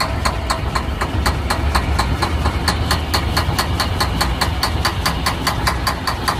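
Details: Semi truck cranking with no start: low rumble with sharp, even ticks about four per second as the engine keeps turning over but never catches.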